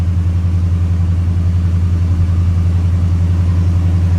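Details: 1976 Chevy K10 square body V8 just after first start, in neutral with good oil pressure: steady low rumble with an even, unbroken beat and no knocks or ticks; healthy engine settling into idle.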